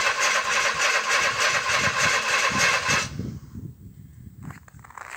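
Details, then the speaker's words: 1961 narrow-gauge Bombardier, parked over a month at -31 C, cold start boosted from another vehicle: steady rhythmic cranking at three to four beats a second that never catches, then dies away; suspected flooded, unconfirmed. "Possibly flooded now, I don't know. Flooded. Flooded, okay."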